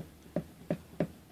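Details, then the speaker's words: Yamaha P70 digital piano keyboard, flipped upside down: hollow wooden clunks as keys bottom out, because the keybed felt cushions are compressed flat after about seven years of use. "it's just kind of been compressed and therefore there's not much padding in there"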